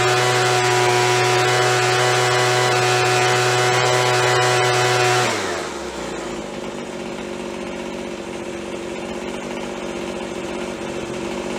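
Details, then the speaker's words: After carb cleaning, carb kit and trigger modification so throttle fully opens and closes, Craftsman (MTD) B2000 25cc two-stroke blower (had "wont stay running"): steady high wail at full throttle, drops cleanly to stable ~2700 rpm idle; fixed, running normally. "right back down on the way that'll stay fixed but it's fixed now"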